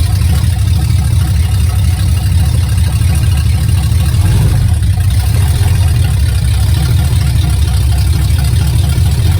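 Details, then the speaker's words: Project truck running on open headers, first moving under its own power, transmission just flushed and refilled, brakes weak: deep, loud, unmuffled constant rumble; open-header exhaust. "You will probably not be able to hear me over the sound of the open headers when I'm in the truck, but let's take some video of this thing inching along here."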